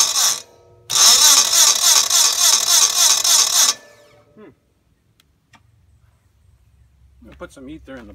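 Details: Red Gravely 450 tractor with Onan CCKA engine, about 45-year-old original starter replaced by a new smaller, lighter one: fast, even cranking whir about three and a half times a second, strong and steady; normal cranking.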